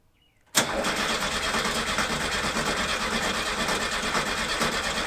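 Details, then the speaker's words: 1970 Volkswagen Bus, first start of a brand-new engine just installed: silence, then it fires instantly and runs at a busy, steady, rattly idle with no misses; some spilled oil burning off the exhaust. Good first start. "it's just burning it sounds so good we did it you can hardly hear me probably it's loud listen to this"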